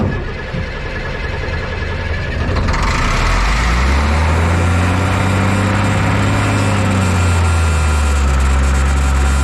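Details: M35A2 military truck 148 after sitting long, cranked without ether, clean fuel and tank: even starter churn about four beats a second, never fires; no fuel reaching injection pump, owner suspects air in system; cranking no-start.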